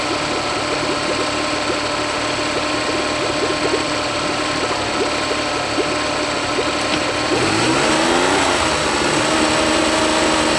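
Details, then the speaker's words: Honda BF40 40 hp four-stroke outboard on a 14 ft boat, at high rpm during a test run: uneven, slightly stumbling beat around three per second, then a pitch swing; idles fine. Owner suspects fuel starvation; later fixed by cleaning the carb jets and replacing the o-rings. "so what I think is really the way it sounds like that the motor is starving for fuel it sounds okay if or as long as runs in idle"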